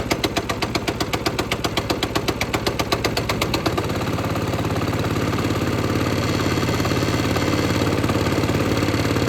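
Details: Lifan 7hp/GX200-clone engine on a Frontier OS18 sawmill, just started on choke after head gasket repair for zero compression and throttle cable adjustment: fires straight up and settles into a steady, even thump, no misses; healthy idle.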